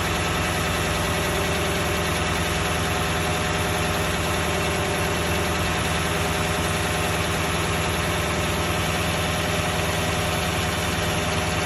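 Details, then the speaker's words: Toyota 1UR-FE V8 at steady idle with a regular light knock about three times a second; the thinner the oil, the more distinct the knock, and it grows as oil pressure drops. Cause unclear. "Давление упадет когда до 1/4. Стук еще сильнее. Ну еще отчетливее. То есть чем жиже масло, тем отчетливее стук."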